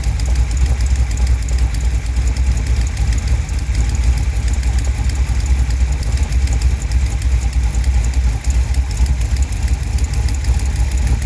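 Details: 1971 Chevrolet Cheyenne, factory big-block 454 V8 on Jegs Bandit EFI, first start, cam believed broken in, rear jacked up; idle with loud, sharp ticking puff around three per second over the rumble. Header leak at number two cylinder.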